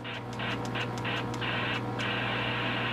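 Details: Baofeng UV-5R Plus radio after getting wet in a roof leak and being dried out: continuous hiss, a few early pulses, then unchanging steady static; adjusting squelch changes nothing. Cause unknown.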